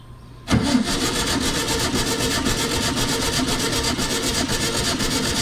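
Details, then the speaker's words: 1966 VW Type 3 Fastback, compression test on cylinder four: starter cranks at an even steady beat, no stumble, reading about 115–118 psi like cylinders two and three; normal cranking compression. "right yeah looks like kind of the same same rain just two and three you know the 115 118 ish so you know as a right now we got three cylinders that are pretty solid"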